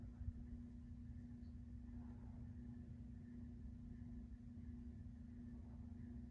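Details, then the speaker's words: 1998 42-inch Encon Corinthian 3-speed reversible ceiling fan starting on low: steady hum with faint scratchy rustle from worn bearings, still moving a decent breeze. "fan now starting on low does have a little bit of bearing noise and it hums but it's not a bad little air"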